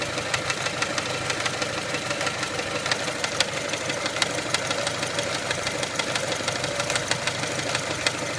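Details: 1999 Mitsubishi Pajero iO with 4G93 engine at steady idle: sharp irregular knocks about three a second. Owner suspects the crankshaft pulley, which wobbles a fair bit; source not confirmed.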